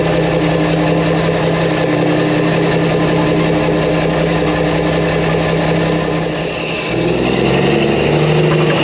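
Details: Mack truck diesel on road test after engine reassembly with new parts: deep, steady drone pulling evenly under load, dipping briefly at a shift then picking back up; sounds healthy, normal running.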